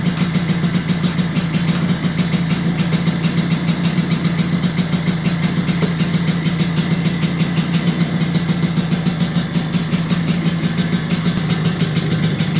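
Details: 1983 Vespa PX125E, first start after six-month full restoration: overhauled engine, new crankshaft, new 177cc cylinder kit, new bearings and clutch discs; quick even two-stroke crackle at steady low note, no misses or knocks; normal idle.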